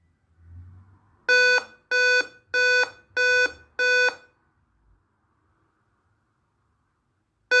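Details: Dell Inspiron 5558 laptop on startup: five sharp, high beeps about two a second, a long pause, then the pattern repeats; warning beep from a dead CMOS battery, fixed by replacing it.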